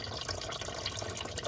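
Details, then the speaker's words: 1994 Corvette during a radiator flush and core plug change, engine off: steady splashing and trickling as coolant pours out of the block where a second core plug failed, leaking before the morning run. "Well, ladies and gentlemen, I don't know if you can hear all the water, but other core plug went out too."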